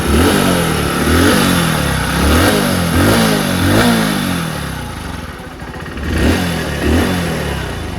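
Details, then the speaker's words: One-year-old Hero HF Deluxe BS6 motorcycle after tappet setting, clutch plate change and service: several quick throttle blips rising and falling cleanly, no tappet clatter or clutch rattle at idle between them; engine noise now smooth. "तो आपने देख लिया क्या-क्या काम हुआ और गाड़ी का आवाज कितना शानदार हो गया।"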